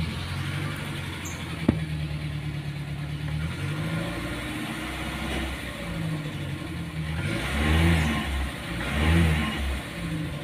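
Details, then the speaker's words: Car with hard hot-start complaint, cold morning start before any driving: short crank catches on first try, then steady idle with clean throttle blips; cold start is normal, problem only appears when the engine is hot. "nah begitu tadi apabila mobil saya saya starter kalau masih belum jalan enak ya langsung kita starter sekali langsung menyala"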